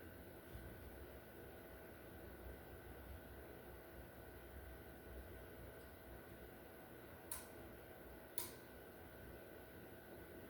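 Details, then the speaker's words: Samsung 75-inch QN90A Neo QLED TV (QN75QN90AAF), no picture, backlight or sound, red LED flashing: a relay on the power supply clicks about once a second as it keeps restarting; a faulty main board was the cause, fixed by replacement. "So if I plug in the TV, I hear a click on the power supply. Uh you cannot see any backlight."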